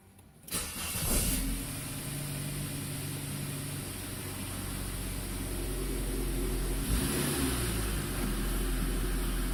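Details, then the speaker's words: 2000 Saab 9-3 SE turbo after refitting the popped-off intercooler exit hose: it catches cleanly and settles to a steady, even idle with one smooth blip. The turbo gauge is now steady and no trouble codes are stored. "Seems to be running good. See that turbo needle right there? That thing was all over the place."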